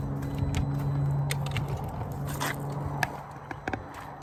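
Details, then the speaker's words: 2011 Audi Q5 2.0T, 88,000 miles, timing chain believed to have jumped out of time (suspected bent valves): the starter spins the engine fast and evenly, ring-ring, with no compression pulses, and it never catches, pointing to lost compression, unconfirmed. "if you'll notice, it went ring, ring, ring, ring, ring, ring, ring, ring, ring. It was a fast spin. It was the rotational noise"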